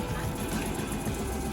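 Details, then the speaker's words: Suzuki 9.9hp outboard idling roughly with uneven, lumpy pulses and shaking, running on one cylinder; owner blames Techron Marine fuel treatment fouling spark plugs with sticky oily residue, letting it run to burn fuel off. "You see it's running like crap right now. So gotta let it run for a couple minutes so that fuel burns up. It is shaking."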